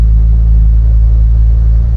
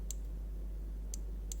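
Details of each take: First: Audi S2 after refitting stock ECU and starting: steady deep petrol rumble settling after a few seconds but holding a fast, raised idle; idle running high. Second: Audi S2, engine idling with three crisp throttle micro switch clicks when the gas pedal is pressed, after adjusting the switch; it didn't click before, probably set in the wrong position and causing an error code.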